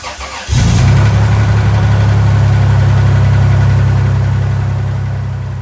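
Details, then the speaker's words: Old Toyota restoration, first start after removing a piece of plastic from cylinder 6 that had caused misfires on cylinders 5 and 6: now no misfires, settles to a steady idle with a faint quick regular tick; owner suspects sticking lifters that may quiet with running. "No misfires, but the engine did make a little bit of noise, and this was a little concerning at first, but as I done more research, I figured it was just the lifters getting stuck in the valves, and maybe it would go away after it ran for a while."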